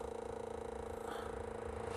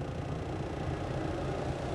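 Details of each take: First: Chinese 2 kW air heater on a programmed timed start: the blower fan motor gives a humming whine with a quick flutter at startup, noisier than it should be. The motor is not yet fixed, and the owner says the noise calms down after startup. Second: Chinese 2 kW Webasto-style diesel air heater in low-speed hold mode: steady, even whoosh with a low hum and no rattle. The blower turns slower, so there is less airflow and less heat, though outlet temperature is barely lower.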